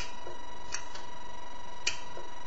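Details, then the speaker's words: Restored elephant-style brass telephone with newly made hook switch bracket, plugged in off hook: steady dial tone with a couple of sharp clicks about a second apart from the line analyzer; working properly. "that's the analyzer clicking when it's off hook"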